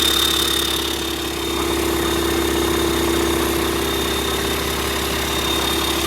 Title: Стендовая проверка ДВС ЯМЗ 650. Приехал в ремонт после капиталки в сторонней организации